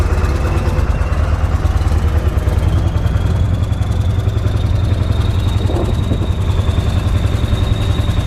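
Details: 7.3 Powerstroke diesel with engine oil ending up in the fuel tank, after adding about three quarts of oil and waiting for injectors to kick on: steady low clatter at idle, even, no stumbling or rpm hunting; normal idle.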